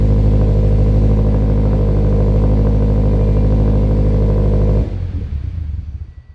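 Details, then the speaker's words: Turbocharged Scion FR-S, first start after fitting a new fuel system, fuel pump and larger injectors: strong, even low idle with a steady beat and no misses until shut off; runs better than before, no leaks. "surprising it ran better it runs better now with the new fuel system and big old injectors than it did before how does that even work"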